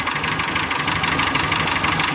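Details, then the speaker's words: Renault K7J engine, 348,000 km, at idle: fast hard metallic knocking in rough uneven running with vibration and power loss; no hydraulic lifters, valves and clearances fine, compression high, oil pan to be removed; engine knock, cause unknown. "мотор работает неровно с [аплодисменты] вибрациями идёт посторонний шум это не гидрокомпенсаторы здесь их нет"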